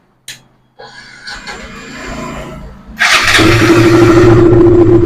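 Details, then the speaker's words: KTM 200 with intermittent starting trouble and misfire, now fitted with a test ignition coil: after clicks and handling, the single catches in about three seconds and settles to a steady, even idle with no misfire; normal start. "നമുക്ക് വണ്ടി ഇവിടെ start ആക്കിയിട്ടുണ്ട്"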